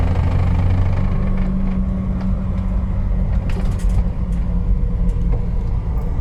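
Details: 2001 Jeep TJ: thin steady whine over engine rumble, shifting pitch with rpm and starting seemingly at random; source not pinpointed. Whine rising with engine speed.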